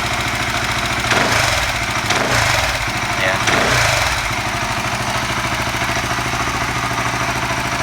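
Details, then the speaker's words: FU 150 fuel-injected motorcycle, 200 spec, with an aftermarket Ataka ECU, started after water was poured on it in a wet test: steady, even idle with a smooth mid-pitched beat, no misses or hunting; running normally. "Kita nyalakan, tidak masalah. Kolek ecu Chunbos normal, kita nyalakan normal"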